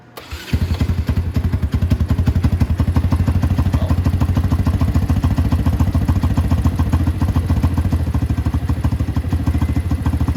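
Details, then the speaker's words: Small motorcycle, 125 or 250, started cold: slow, uneven idle around three pulses a second, loping and about to stall; suspected low idle or minor vacuum leak, not confirmed. "see this one's about to stall like here here we go so that one stall"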